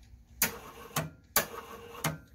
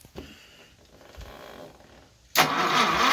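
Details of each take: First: Abandoned Wheel Horse GT14 garden tractor, key in run, first start attempt: two short whirring bursts, engine never catches, sounding like a slipping belt; owner suspects starter slipping or engine stuck; fails to turn over. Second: Wheel Horse GT14 garden tractor, long abandoned, old fuel, starting with starting fluid sprayed in after starter slipping; fires abruptly, blows smoke, settles into steady even run about ten seconds then shuts off; normal start, smooth run.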